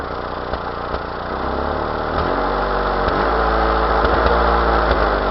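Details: 1992 Mazda B2600 idling: lumpy, uneven beat with irregular thumps every second or so; misfire of unknown cause.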